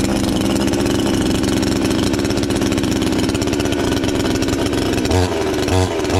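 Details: Chinese counterfeit chainsaw sold as a Stihl (MS 461), newly assembled and first start attempt: small two-stroke catches and holds a steady, buzzing high-idle run with even firing; the saw starts and runs fine.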